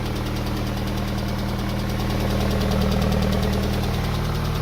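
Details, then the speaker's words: Yellow MG, first start after repair, out of gear; a steady ticking knock at about three to four per second over a rough idle, with heavy exhaust smoke; the repair was not a success, cause unknown. "Out of gear. No. That sounds like it's still fucked."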